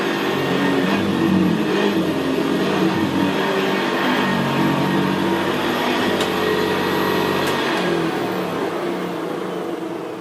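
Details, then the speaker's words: 1975 Hoover Senior Ranger U4002 vintage upright vacuum on carpet: quiet steady motor whine under a deep gravelly beater-bar growl, louder where carpet is squashed; brushroll end clamp missing; normal brushroll growl. "it's just very very quiet and in very very growl very growling that's why I always said about the Ranger they always had a very very gravely brushroll on there"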